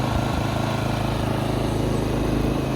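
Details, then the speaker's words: Inverter generator MXR3500 after carburetor cleaning (previously ran unstably), not yet warmed up: steady, even idle with a smooth low thrum, no shaking, hunting or surging. "Ось так Він працює рівномірно його не підтрушує і він ще навіть не прогрівся"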